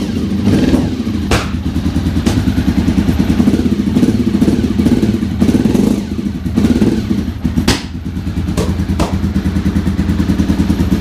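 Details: Honda RC45 RVF750 V4, stored about 10 years and rarely started, won't start properly; at idle and blips she spits, puffs and pops in the exhaust, running on 2 of 4 cylinders; misfire, unburned fuel smell, spark plugs suspected.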